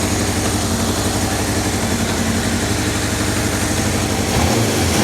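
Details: 1978 Kawasaki KZ650 four-cylinder idling after carburetor synchronization with a Digi Sync tool, readings 61, 62, 63, 60, throttle response being checked; steady, even idle with a smooth blip near the end, no misses or knocks; normal idle.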